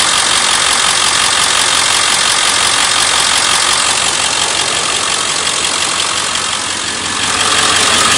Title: 7.3 powerstroke ticking sound pt 3